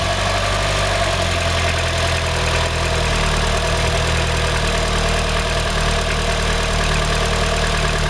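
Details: Mitsubishi 4G63 MIVEC 2.3-litre engine idling with a deep, steady drone and a dull knock underneath that is hard to pick out. Owner suspects piston slap; the cause was never found.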